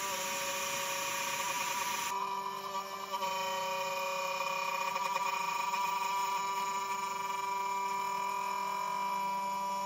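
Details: Genmitsu 3030 PROVer Max desktop CNC, stock 300W spindle pocketing 20 mm square and circle in aluminium, 2.5 mm deep, 0.3175 mm step-down: steady high whine with wavering buzzy cutting note; chatter, spindle suspected overloaded, edges not smooth, square 20.7 mm.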